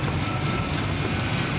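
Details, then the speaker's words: Honda Integra (DC2/DC4) after head gasket replacement, driving under way: steady even engine and road drone, no stuttering or stumble as before; runs healthy, slight white smoke remains and valve adjustment still needed. "but look at sounds [ __ ] good as [ __ ] it's not stuttering it's not doing anything it did before"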